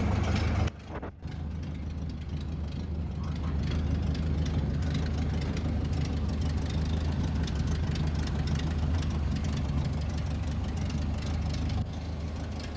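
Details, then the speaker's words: 1930 Ford Model A Tudor barn find, stored 40+ years, after head gasket and wiring harness replacement and oil pan cleaning: a low, steady four-cylinder idle with a soft even beat and no knock or tick. Running normally. "finally out 40 years way out and running got it out for a little spin today"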